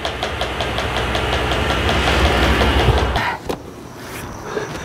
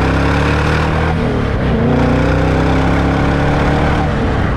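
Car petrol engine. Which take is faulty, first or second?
first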